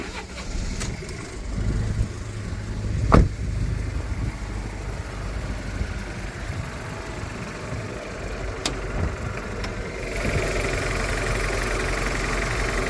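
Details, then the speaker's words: Fiat 500 TwinAir two-cylinder after project completion, cold start, not in gear: catches with a thump, then a busy tractor-like clatter at raised idle while oil circulates; revs die down and quieten after about a minute; normal. "sounds like a tractor sounds like a tractor to start with then after about I think that's just due to the fact that it's got to get the oil um circulating uh around the engine cuz it's like pressurized and R bits"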